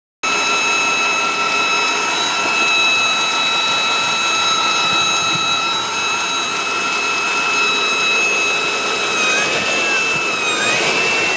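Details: 1997 5.7 Vortec V8 running: piercing, steady high-pitched whine seemingly from the top middle of the engine, starting only once the engine warms up and growing too loud to locate; cause unknown.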